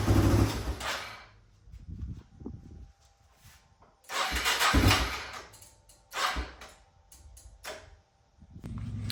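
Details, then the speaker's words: 1997 Yamaha Timberwolf 250 ATV, first start: single cylinder catches in short bursts and sags near silent between them; rough unstable idle, fuel mixture and idle screws suspected. "So, as you can tell, the bike is running now. Um the idle seems to be a little iffy."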